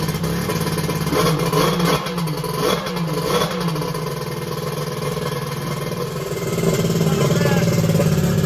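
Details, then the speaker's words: X2 that had been hard to start, started again: catches and settles into steady even buzzing run with brief rev; warms up, front cylinder about 150°F, head 186°F; running fine. "okay it started right up"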